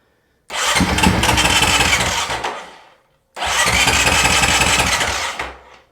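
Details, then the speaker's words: Honda CRF450RL cranking: two bursts of rapid starter churn and engine pulses but never catches; relay clicks yet no fuel pump prime, fuel pump failure suspected, not confirmed. "so we'll try to crank it one more time see if it does anything so I heard the relay but nothing on here no no fuel pump Prime"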